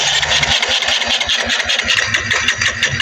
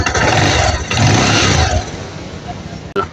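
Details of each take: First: Kawasaki Rouser 180 motorcycle with fuel present that won't start; steady rhythmic cranking at about two and a half beats a second that never catches, a crank no-start with the CDI at fault. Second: Kawasaki Rouser 180 motorcycle that would not start, after basic troubleshooting with spark plug caps refitted; single-cylinder fires up with a quick, fairly even putter then settles lower, now starting and running normally.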